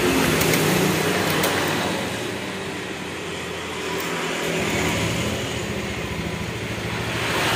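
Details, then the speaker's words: Honda Scoopy ESP fuel-injected scooter with hard starting, sputtering and weak pull, running on a borrowed battery: idle slowly sags and climbs instead of holding steady; idle surging from low fuel pressure. "lah ini ya stasionernya naik turun mesinnya ya di sini untuk tekanannya lemah"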